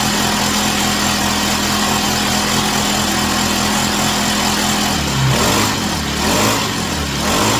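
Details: Chinese Amazon mini bike small engine after first start, warming up on a table: even idle buzz picking up cleanly with short rev blips and dropping back smoothly; runs healthy.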